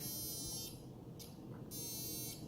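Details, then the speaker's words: Blade Fusion 360 RC helicopter tail servo gives a thin, high electric buzz in half-second bursts while holding position. "all right you guys can hear that buzzing that's the tail servo"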